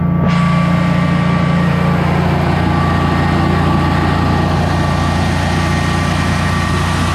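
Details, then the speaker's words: Generac Guardian 16kW standby generator running on gas after refurbishment, carrying close to 6,000 W of heaters: a steady, even drone with a constant low hum that doesn't dip, healthy under heavy load and not hesitating. "under close to 6 000 Watts didn't even hesitate I think I like this machine"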